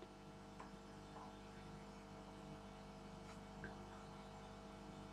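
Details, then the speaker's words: Homebuilt tube regenerative radio in England on 50 Hz mains, with ferrite-rod coarse tuning and variable-capacitor fine tuning: only a low steady mains hum, no station or voice even with the regeneration control turned up; the set picks up nothing. "nothing absolutely nothing turn out the Regeneration control doesn't matter all I'm hearing is a birds that may sound a bit weird to some of you living outside of England who live in 60 HZ regions well here the AC sounds like sounds like that"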